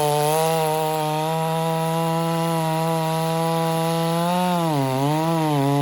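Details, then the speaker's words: Chainsaw (Husqvarna 394 or Stihl 066) on stock chain with swept rakers, just fattened after fuel-starving: steady high revs dip and recover under load in the cut with slight rich burble; normal full-throttle cutting. "it's cutting better now it is watch watch what's happening"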